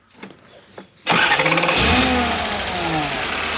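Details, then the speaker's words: Toyota 1UZ-FE V8 (Surf/4Runner), back from 4 to 8 cylinders: quick crank and clean catch into a smooth, even V8 idle with no misfire; normal. "Listen to that. Beautiful. Brilliant."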